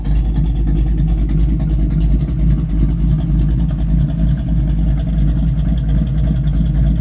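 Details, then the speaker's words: 1968 Matador red SS with 350 small-block V8, 3-speed, 3.08 rear gear, Jegs stainless exhaust with stainless two-chamber mufflers: fires right up and settles into a deep, even V8 burble at steady idle, no knocks, misses or rattles; normal idle. "Polished vent in the back, just to let you hear it run real fast. She fires right up."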